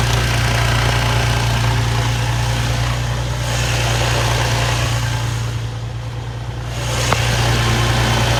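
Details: Infiniti G35 with the idler pulley deleted, shop checked timing, tensioners and cylinders as fine, engine burns oil: steady idle with a busy chattering clatter and an odd clunk from under the car; owner suspects the throwout bearing or flywheel chatter.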